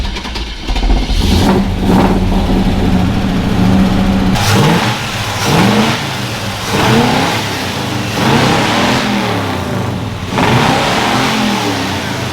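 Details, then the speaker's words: 1975 Chevy Nova V8 after posi rear-end install with friction modifier and gear oil: catches and runs smoothly, revving up and settling back evenly with no misses, knocks or ticks. "Oh, look at that. Nice. She runs, man. I'm gonna get in some trouble with this thing."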